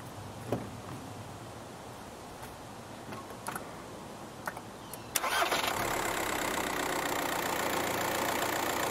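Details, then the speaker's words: 2007 VW Golf Mk5 1.9 TDI restarted hot after starter motor replacement: a few clicks, clean crank, steady even idle; the loud thump on hot restarts is gone, though one mount may be slightly worn. "I can see that one of the mounts might be slightly worn out but um it is definitely not making that horrible thumping noise like the engine is coming out of the engine bay here so I'm happy with those results"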